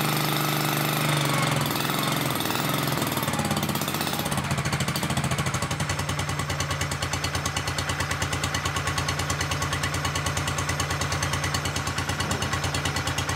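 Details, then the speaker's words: Honda 1211 ride-on mower after its transmission fan was repaired: a steady, rapid, even engine beat with no rubbing or scraping underneath. "Bon, là normalement c'est le démarrage de la victoire. Il n'y aura plus le bruit à la gomme."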